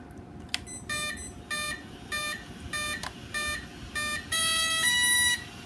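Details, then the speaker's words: J2 prototype RC car with EDF, speed controller powered up after reconnecting the batteries: clean sequence of short, evenly spaced high beeps ending in a longer tone; the normal ESC startup chime. "see that's what it's supposed to sound like when you start it up right"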